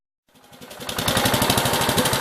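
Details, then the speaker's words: 1969 Gravely 432 with a rebuilt original single-cylinder engine: picks up quickly into a rapid, even firing beat with no knocks or misses and has run about half an hour, but it dies out; the owner suspects the fuel pump. "it's been sitting here running for every bit I've got a half an hour so pretty happy with it except for the fuel issue"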